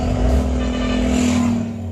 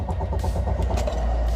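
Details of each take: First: Car restarting after running the tank dry and adding 2 litres of fuel, low fuel warning still on, first attempts failed: engine catches and holds a steady hum with a light rev; runs evenly with no misfire. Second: Car run until the fuel tank was empty, then topped up with 2 litres with the low fuel warning still on: steady fast cranking that never catches or fires; no start from fuel starvation.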